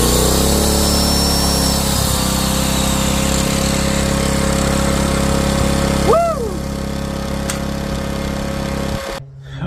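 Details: Powermate PM2000i portable generator after carburetor replacement, test run: steady, even drone with constant pitch and no surging or hunting until shut off; running smoothly.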